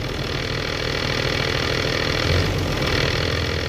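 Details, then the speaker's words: 2012 Ram 2500 6.7 diesel at 110,000 miles with a G56 manual: a steady idle with a loose, rapid metallic clatter underneath; gear rattle at idle since the dual-mass flywheel was swapped for a single-mass clutch, a common problem. "hey YouTube decided to make a quick video here the noise at my new 56 in Haiti ever since I put in a single mass by will clutch system"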